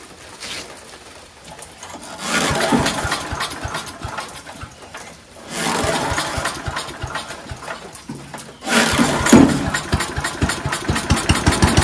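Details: Mighty Mac wood chipper/leaf shredder, single-cylinder, after replacing rusty seized choke flap, choked with starter spray: catches after a few pulls into a rough uneven idle with bursts as it settles; normal start and idle.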